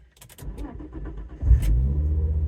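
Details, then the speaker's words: Fiat Coupe 20V Turbo start-up: about a second of cranking, catches cleanly and settles into steady even low idle, full oil pressure, boost gauge working, no tapping or knocking; normal start and idle. "starts up okay and get full oil pressure boost gauge works engine actually sounds pretty sweet to be honest can't hear no tapping no knocking seems pretty good"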